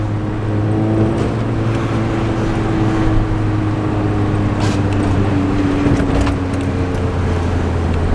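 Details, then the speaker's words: Lowered Nissan 240SX, driving over bumps after refastening the low-hanging exhaust; steady low exhaust drone with less drone than before and no metallic clanks; normal exhaust, no clank over bumps. "going on bums without it clanking anymore this is the bottom and it all it gave me though literally the exhaust sounds way better"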